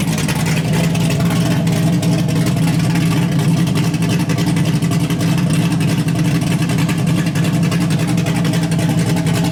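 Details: LS1-swapped Hyundai Genesis Coupe with a refreshed engine on a base tune, first runs: loud, raw, steady V8 drone through a short open exhaust, even firing with no knocks or misses. A temperature issue is noted.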